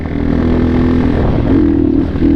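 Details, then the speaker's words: XR150 clone single-cylinder motorcycle, wide open throttle: note climbs, then sags and wavers instead of pulling cleanly. Bogging at full throttle; the cheap Chinese carburetor is suspected. "Yeah, it doesn't like full throttle. See? Wide open. And I wonder, yeah, I think it's just a carburetor issue."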